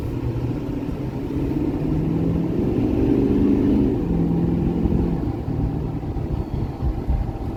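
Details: 2012 Ford F-350 6.7 Powerstroke diesel, test drive after new injectors, CP4 pump and disaster prevention kit: steady even idle clatter at a stoplight, low rumble, no missing or knocking; healthy.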